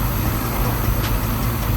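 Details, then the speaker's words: Suzuki Samurai with swapped 1.6L 16V engine, first start after head gasket job: deep, steady idle thrum with a slightly uneven beat; ignition timing one distributor tooth out, needs restabbing and moving over one tooth. "Sounds good. It started up, but I can tell I need to restab my distributor. Move it over one tooth. So it looks like it's a tooth out, but doesn't that look good?"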